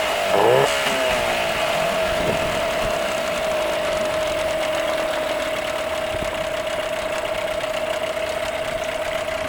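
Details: 8 hp Nissan outboard that previously would not start, final running test: smooth, even idle with a steady mid-pitched hum and no misses or stumbles; outboard running normally.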